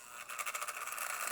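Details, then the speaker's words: Old vintage Lionel locomotive motor, rolling freely: thin, uneven rapid buzzing rattle with no steady hum, running rough; owner suspects a jammed E-unit. "certainly not the healthiest Sammy was right have any unit doesn't sound good that's trying I think it's got a jammed up unit there"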